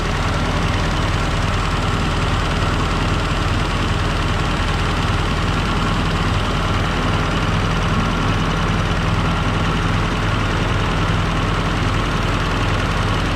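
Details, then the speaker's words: M718A1 reassembled and run, no coolant yet: deep, steady rumble with even beat, no misses or knocks and no smoke; normal diesel idle. "oh it's amazing sounds good even you know there's no smoke alarm freight train either"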